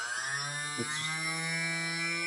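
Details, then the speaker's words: TBS 900KV brushless motor at half (hover) throttle, balancing with black electrical tape as weight: steady high whine with buzzy rough edge; tape placement made imbalance worse, needs moving. "okay it's even worse we need to stop take the tape off move it a little bit take it for a spin"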